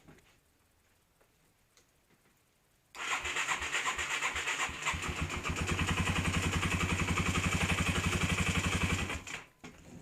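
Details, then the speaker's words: 1991 Yamaha TW200 that died mid-ride, after replacing the stator generator coil whose red wire was broken (resistance checked): single starts at once and settles into an even, steady thump near four beats a second, running indoors. "So anyways, I'm not going to let it run long because I'm inside and it's going to smell the flesh. Anyways, it runs."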